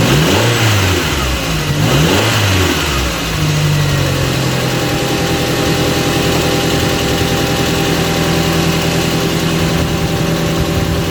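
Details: Audi TT Mk1 1.8T Quattro 225bhp, 6-speed manual, after replacing a part to cure a big engine rattle at idle up to about 2,300 rpm: brief startup flare, then a smooth, even idle with a steady note and no rattle. Fixed, healthy idle.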